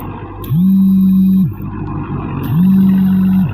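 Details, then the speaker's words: New Vighnaharta rotavator pulled by a tractor, tilling smoothly; loud steady low whine rising, holding about a second and dropping, twice, from the rotavator gearbox housing; cause unknown. "एकदम smoothly rotavator चालतोय. फक्त रोटावेटरच्या हंडीतून आवाज येत आहे"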